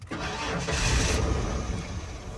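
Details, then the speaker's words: 1996 Ford F-150, inline-six, 2WD, non-running truck after a wiring fix: it catches with a rough rumble, runs unevenly about two seconds, then sags and dies. The starter seems healthy; a fuel supply issue is suspected. Starts then stalls. "Okay, it turned on. That's a good sign. Um, it didn't want to stay on. Now that is the next interesting part."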